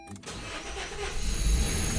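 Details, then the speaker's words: 2016 Honda HR-V, replacement engine after head gasket failure, sitting 3 years, after fixing the engine ground: a few quick cranking turns, then it catches cleanly and settles into an even, building run; first normal start. "Oh, that that time it that was the first time it started."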